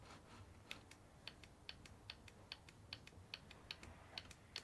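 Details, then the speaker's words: New Bosch 0 280 142 486 evap purge valve for a Vauxhall Corsa D 1.4 petrol, tapped on and off on the bench: faint, crisp ticks a couple of times a second, normal purge solenoid operation. "so I am tapping that constantly now on and off and I'll be honest with you I can barely hear it"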